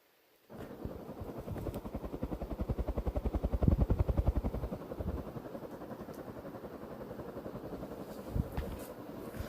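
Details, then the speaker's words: Three-bladed metal ceiling fan on high, after reconnecting a loose wire in the top box: steady rhythmic whoosh about three to four pulses a second, helicopter-like, even and smooth; fan working normally. "sounds like a helicopter. It's because of the it's a three-bladed fan, but it's also metal, too."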